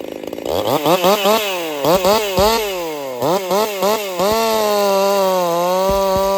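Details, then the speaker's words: Jonsered 2149 50cc chainsaw race build, still on the factory air setup, warmed up, making first cuts: revs bog and break up with a pop and won't clean up. Owner is fairly certain it has coil issues. Misfire under load. "It's got some coil issues. It won't clean up. She's got a pop to it, just almost like your four-stroking or whatever, but different."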